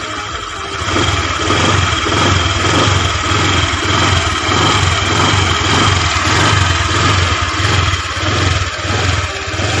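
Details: Honda Vario 125 injection scooter, liquid-cooled, after fix for radiator coolant spraying out, reassembled; steady warm idle with soft even putter, no ticking, knocking or misfire, idling normally.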